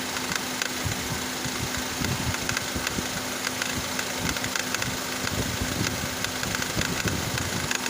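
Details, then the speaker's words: Engine idling with air conditioning on: loose, irregular metallic rattle from the auto belt tensioner pulley, vibration felt by hand on the pulley; worn tensioner pulley, fixed by replacement. "can see now that the air conditioner has been turned on, you can hear the rattling sound coming from the tensioner."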